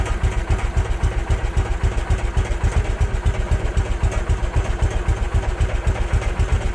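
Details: Case 444 tractor revived after sitting forgotten behind a barn, fed from a temporary jerry-can fuel line: single cylinder chugging at about four firm, even pulses a second with no misfires; normal running.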